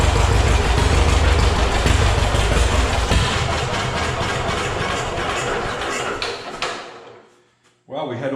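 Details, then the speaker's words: Heavily modified John Deere A tractor, first run after rebuild: low, slow, lumpy idle with no knocking, then fading out, likely as fuel ran low; idling slow because no throttle was hooked up, oil pressure present. "oil pressure nothing knocked and it was only idling slow like that because I had no you know throttle hooked up"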